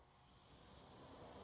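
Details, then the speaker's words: Porsche 944 radiator fans (suspected not running on high), low-speed fan triggered by manually closing its relay: soft, even whoosh of air, no ticking, rubbing or wobble; low fan motor works normally. "We can hear the low fan running."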